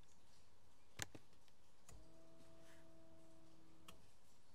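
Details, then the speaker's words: VW CJAA TDI, key on after fuel filter change: VCDS engine-control output test of the fuel pump relay control circuit runs the in-tank pump; sharp relay click then faint steady hum about two seconds, cycling, to fill the filter housing. "let me do a drop down so you can do the fuel pump relay control circuit so that's going to run the one in the tank"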